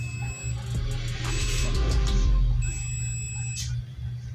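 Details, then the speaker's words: DH Discovery DH20 700 W home theater with humming fault: multimeter gives high steady continuity beep in two bursts over low hum when checking a 33 µF 25 V capacitor after a blown diode was found; capacitor shorted. "Continuous beeping का sound दे रहा है। इसको भी निकाल कर check कर लेते हैं।"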